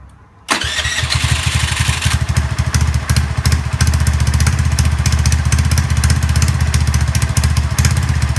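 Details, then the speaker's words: Fuel-injected Honda Zoomer X scooter that starts then dies on its own, worse when throttle is applied: a rough, stumbling, lumpy idle. Bogging and stalling; the mechanic plans to check fuel pump pressure, cause not confirmed. "ในส่วนของคลิปนี้เราอยู่กับHondazerรหัสxนะครับกับอาการปัญหาที่ว่าสตาร์ทติดแป๊บเดียวเครื่องมันจะดับเองครับ"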